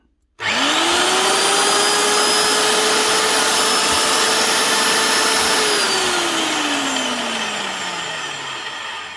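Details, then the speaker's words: Old Evolution Bora 2800 magnetic drill, stored for years, after fitting a new bridge rectifier and rewiring: motor spins up cleanly to a steady whirr, holds even pitch, coasts down smoothly, no grinding; running again. "working and we have a motor so that's her up and running again that's the main problem done"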